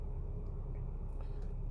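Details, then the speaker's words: 2013 Hyundai Sonata, Theta 2 engine, P1326 rod knock, after in-car bearing repair, sat a couple of months: steady low idle, no knock, earlier roughness smoothing with gas; loud high-pressure fuel pump on top, check engine light flashing. "let's see what it does when I give it a little bit of gas here the roughness kind of went away might have just been because it's been sitting for a couple months so it's not knocking"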